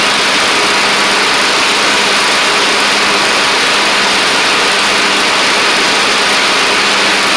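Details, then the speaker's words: Troy-Bilt Pony rider with a used replacement engine and new head gasket, cold start the next morning: loud, steady drone at constant speed without misses; runs fine but smoked badly for about the first minute before clearing, no longer smoking with blades engaged. "Now, it's just doing it when you initially crank it up. And as y'all saw, it smoked pretty bad for about the first minute, but then it did clear up"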